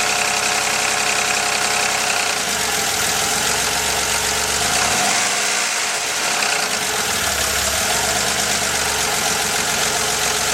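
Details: 1983 Porsche 911 SC with stock 3.0 air-cooled flat-six idling with a busy, clattery rhythm and a light knock among the fan and valve noise; owner fears rod knock, not confirmed.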